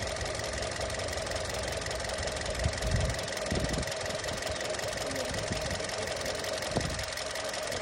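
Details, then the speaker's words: Kia Seltos after Sundar Carbon Antidote Plus treatment: steady, even idle with a light regular tick and no misses; described as real engine sound in excellent condition, earlier slight noise now gone. "ఇది real sound sir. వెహికల్కి ఇది real sound. ఇది engine ఈ sound కనుక వస్తే అసలు engine అదిరిపోయే కండిషన్లో ఉన్నట్టు లెక్క."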